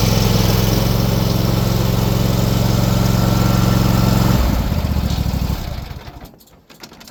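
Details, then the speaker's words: AL-KO T 22 110.4 HDH-A V2 ride-on mower with a 22 hp 7002 engine, starting and engaging the blades: smooth, even engine hum that drops in note as the blades engage, then settles; healthy under load. "Nu tænder han. Og så skal vi høre knivene. Hold nu op, det lyder godt det der."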